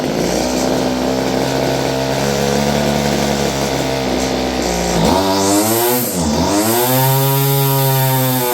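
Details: Stihl FS56 curved-shaft two-stroke string trimmer, about 30 years old: steady buzz drops and struggles back, no high speed unless choked; owner suspects gummed carburetor.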